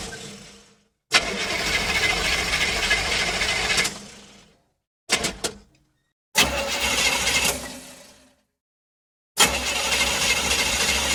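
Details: Car cranking: repeated bursts of even starter cranking, each stopping without the engine firing; cranks but won't start.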